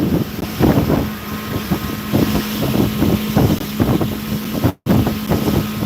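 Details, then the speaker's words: Rental boat engine at end of season running rough under way, lumpy irregular surges under wind noise; owner suspects it needs all new plugs and probably a new water separator. "you hear that [Music] mess the end of the rental season she needs all new plugs probably new water separated"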